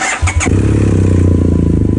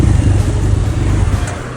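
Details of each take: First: 2011 BMW F800GS (Rotax) with K&N filter and open exhaust, which stalled when warm or downshifting, just after loading an open-exhaust map on a Dynojet Power Commander 6: quick crank, catches at once, steady even low idle; healthy start. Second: 2011 BMW GS800 (Rotax twin) with K&N filter and open exhaust, warm at 100 degrees idling, clutch pulled: low lumpy idle sags and fades; stalls when warm, not cold, from over-rich mixture.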